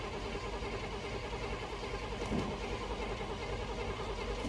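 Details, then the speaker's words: Carbureted V8 car that ran when parked but sat for a few years: the starter churns at an even rhythm and it never fires. Fuel starvation is suspected, with possibly too little gas in the carb and a doubtful accelerator pump. "Yeah, she's just a cranking. I don't know if we have any accelerator pump. I don't know what good it would do to fill up the bowls if the accelerator pump doesn't work. Come on. Okay, she doesn't want to go."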